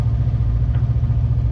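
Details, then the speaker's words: Kawasaki KRX 1000 with high idle and shifting problems, during throttle position sensor adjustment: steady fast idle with even low drone at about 1,700-1,800 rpm, too high; TPS out of adjustment. "So, we're just below 2,000 RPM still. That's probably between 1,700 and 1,800."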